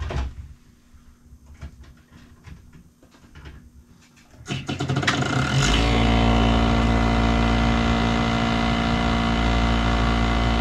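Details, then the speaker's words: 1991 Snyder General furnace, restarted after clearing the clogged port, having jammed before: quiet clicks, then the motor kicks in with a loud, coarse, uneven drone that never smooths out; the control board now has voltage, but the motor sounds unhappy. "Yeah, now I got voltage at the control board, so all it was is a clogged port. That motor doesn't sound happy."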